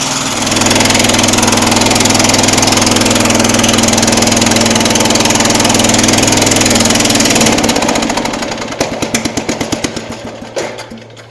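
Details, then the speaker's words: Jacobsen Chief 800 garden tractor under restoration, just started and warming up: uneven, lumpy hunting idle, firing slows into separate puffs and the engine dies; owner suspects it is running too rich and the carburetor needs adjusting. "See, it doesn't want to stay running. I think it's running too rich."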